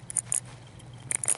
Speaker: that clicking you hear that means it bends okay and all I did was spin it with my fingers and it bent